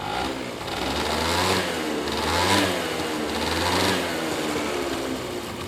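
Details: Honda Dio AF18 two-stroke scooter, taken in as a runner, revved up and down: uneven rattling knock over the engine. The abnormal noise comes from the engine, possibly the drivetrain; cause unclear.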